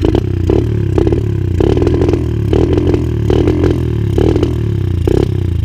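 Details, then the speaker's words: 125 cc dirt bike being serviced, revved in repeated bursts: coughing, spitting crackle at each throttle blip with blow-back at the intake, while idle is fine; an intake problem is suspected, not confirmed. "Vous avez vu là, j'ai eu un retour directement ici. C'est bizarre. Je pense qu'on a peut-être juste en fait un petit souci là au niveau de l'admission. C'est bizarre, on dirait que ça refoule."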